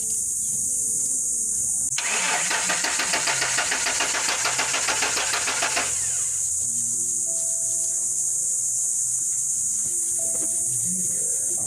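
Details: Ford F-150 crank no start: starter spins the engine at a steady chug of about three per second for about four seconds but it never catches.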